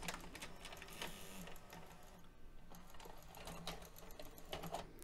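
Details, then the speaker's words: Mitsubishi HS-U760 Super VHS VCR (1996), after replacing two missing/broken belts that caused a whirring no-work fault: quiet motor whir and light clicks as the tape loads, threads and ejects with no slipping; transport back in business. "appears to be back in business very good"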